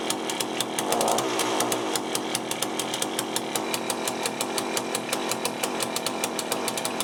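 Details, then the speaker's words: Cheap chainsaw with a Walbro carburettor, just rebuilt with a new gasket kit, first start. Idles with a sharp, irregular rattle of thin, hesitant firing pulses after a hard start; owner suspects the low-speed mixture is too lean. "not the easiest thing to start was it okay i guess you might need to on the low side maybe it's a bit too lean that's why it's hard to start a little bit"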